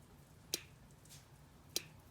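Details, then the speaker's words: 1987 Jeep YJ no-start, key on, no cranking, despite a new battery, cables, starter, starter solenoid, ignition switch and neutral safety switch: two faint clicks, heard at the distributor cap. Sometimes it buzzes and the tach jumps; the solenoid isn't engaging. "can hear a faint clicking in the distributor cap sometimes it will just start buzzing and the tach will jump so the solenoids not engaging"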